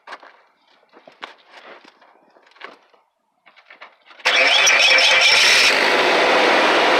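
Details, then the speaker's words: Truck exhaust after tailpipe leak repair with heat-sealing tape and clamp: engine catches and runs steadily with no popping or chuffing; exhaust sounds sealed, not best-sounding but much better than before. "so still best-sounding truck but it's a heck of a lot better than it was"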